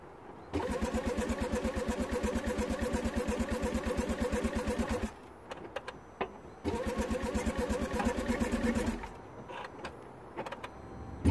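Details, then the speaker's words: 2009 Smart Fortwo 451 1.0 L 71 hp petrol, in neutral with brake pressed: starter cranks evenly at about three beats a second in two long bursts but never catches; fuel smell, so no spark suspected, not confirmed. Crank no start. "and it definitely cranks and I can smell petrol I can actually smell petrol so it might be that we have no spark"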